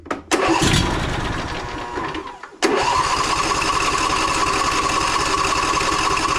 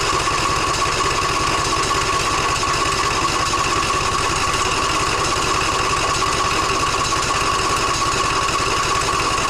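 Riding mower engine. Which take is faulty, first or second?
second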